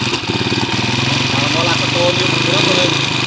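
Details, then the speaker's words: Honda TMX155 motorcycle engine, hard to start, dying with choke down and hiccuping; loud, busy mechanical clatter at idle despite four previous mechanics and two timing gear replacements. "Okay mga sir mga kabro yun po yung andar niya maingay mga kaabo so bale aapat na daw na mekaniko ang gumawa dito at puro cylinder head lang hanggang black ang binabaklas nila dito kaya dalawang beses na rin daw sila nagpalit ng timing gear yan"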